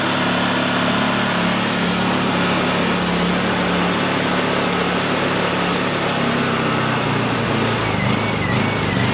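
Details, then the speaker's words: Honda EU2000i generator after carburetor cleaning, choke on, fuel on: running with a slightly wavering note and uneven beat, idle still hunting. A carburetor return spring is suspected to have popped off, not yet confirmed. Unsettled running. "let that run for just a second see if it clears itself up Okay so I just caught something here and I got a feeling we missed a return spring somehow popped off that carburetor"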